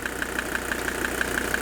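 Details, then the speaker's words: Mercedes 300TD turbo diesel, warm, 20 minutes into a live injector purge: knock more pronounced as injectors quieted, sharp regular knock about six times a second at idle; suspected piston. "you can hear that I've heard that before and it could be a piston"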